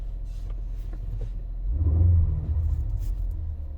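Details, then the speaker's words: 2016 Ford Explorer 3.5L EcoBoost V6 after spark plug replacement and clearing codes: low, even idle rumble with a brief mild swell, no stumble or misfire beat; running smoothly, though check engine light still on. Normal idle. "Oh, she's purring like a kitten now."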